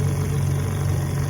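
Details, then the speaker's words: 1957 7.5 HP Evinrude outboard, on-lake test run without hood after cleaning carburetor manifold jets and fixing two-line fuel system: even, steady low buzz with no misses, surges or rattles; normal running. "cleaned out the Jets inside the carb manifold and she runs good now"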